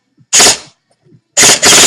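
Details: Echo1 M14 EBR airsoft gearbox upgraded with SP140 spring, modified Ultra piston, polycarb head, Echo torque gears and Max Torque short motor: two crisp bursts of fast even cycling, clean starts and stops, no screech; healthy.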